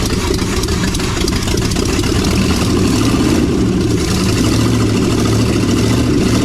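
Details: 1956 Chevy 3100 half-ton barn find with long-stored 396 big block, first run after revival with throttle assist: deep steady V8 idle with even lumpy beat, no knocks or misses; running healthy.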